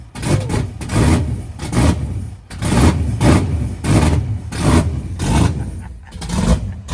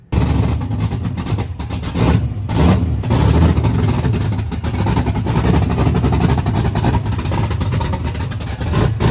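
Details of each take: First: Fox-body Mustang with 408W Windsor stroker, 12.5:1 compression, solid roller cam, first fire: big lumpy V8 barking through repeated blips, revs climbing slowly and falling off lazily; owner feels it needs more timing. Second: Fox body Mustang with 408W Windsor stroker, 12.5:1 compression, solid roller cam, first fire; loud choppy lumpy V8 blipping up and dropping back cleanly, firing evenly and sounding healthy though owner feels it needs more timing; normal free rev.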